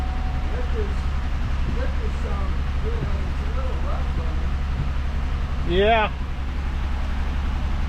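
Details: Buick 3800 engine from a 2006 Pontiac Grand Prix, rebuilt with new camshaft and lifters, first run on a stand with a homemade oil sim test: low heavy rumble with an uneven lumpy beat; rough running.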